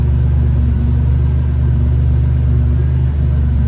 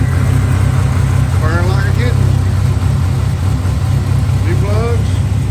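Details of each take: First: 1987 Buick Grand National turbo, 32K miles, revived after sitting 12-13 years: deep steady idle with an even low beat, no ticking or stumble, running smoothly; no smoke. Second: 1987 Buick Grand National turbo, 32K miles, sat 12-13 years, starting on new plugs, fresh gas and filter: steady idle with slightly uneven loping note; pulling the vacuum line kills it and gas drips out, owner suspects a bad fuel pressure regulator.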